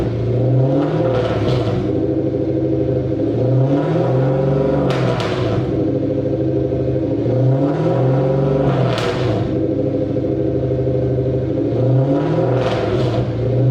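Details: Mercedes W203 C230 Kompressor sport coupe with swapped Lexus 3UZ-FE V8, exhaust before new system fitted: deep V8 rumble rising and falling with repeated revs, heavy low boom under the note; old exhaust drones.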